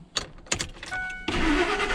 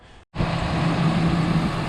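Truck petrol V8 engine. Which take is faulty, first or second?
first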